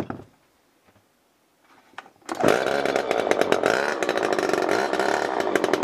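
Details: Garbage-picked old two-stroke chainsaw, with spark confirmed: after a few pulls it catches and runs with a loud, raspy, uneven buzz; it starts and keeps running, and the oiler works.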